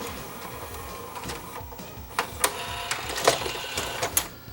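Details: JVC HR-S5300 VCR after repairing damaged front cassette loading mechanism and resetting switches: short motor whir with crisp clicks and clunks as tape ejects, no grinding or stalling; eject normal.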